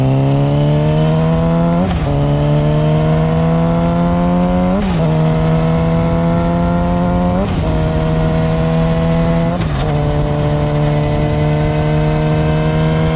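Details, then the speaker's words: Yamaha R6, 25,000 miles, new chain and sprockets, after fitting a rubber-dampened OEM-style front sprocket in place of a solid metal one; GoPro riding run climbing through gears with clean shifts, only slight drivetrain whine, quiet normal chain drive. "Now on camera, you can still hear a little bit of the engine whine, or I would say like drivetrain noise. As a rider, I can just barely pick up just a hint of it"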